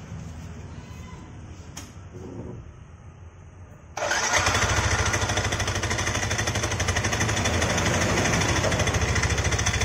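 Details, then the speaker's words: Yamaha NMAX scooter at idle, complaint of coarse CVT noise: a coarse, steady rattle from the belt drive runs through the idle after start; the front pulley is loose, a wrongly installed ring. "Oke di video kali ini saya kedatangan Yamaha nmax ini keluhannya di bagian CVT ya jadi di sini bunyi kasar"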